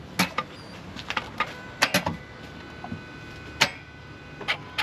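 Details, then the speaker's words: Toyota GT86 with damaged engine, due for engine replacement: on a start attempt there are scattered sharp irregular clicks but no cranking; the engine doesn't turn over and appears dead. "Yeah, it doesn't even crank. That's an interesting one. That's an interesting one. I mean, he started to tries to do something, but that's about it."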